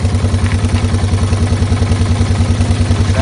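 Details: Yamaha TW200 running after repair of a lower-case knock on the flywheel/stator side, caused by a sprag-clutch starter gear with broken retaining bolts that was re-tapped and reassembled. Even thumping about 200 beats a minute, no extra knocks; the knock is gone.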